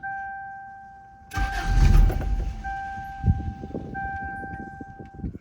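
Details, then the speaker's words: 1995 Toyota Corolla 1.6, automatic, which starts and runs a few minutes then dies; restart attempt after shifting through drive, neutral and park: warning chime, starter turns engine in uneven bursts, never fires; crank no start, cause unknown. "It seems like the car wants to, I mean the engine wants to start, but there's something wrong with it."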